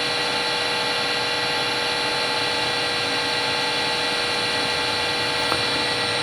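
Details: Harvey wood lathe after new spindle and bearings fitted, running about 1609–1630 RPM, sound meter averaging about 57 versus 64 before; smooth even whir, no knocking, rumble or grinding; normal spindle running.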